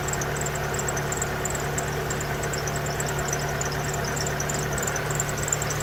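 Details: 1992 Pontiac Sunbird 2.0 inline-four, first start after valve cover gasket replacement and PCV hose reconnection: even, steady idle with smooth low hum, no knocks, ticks or misses; healthy.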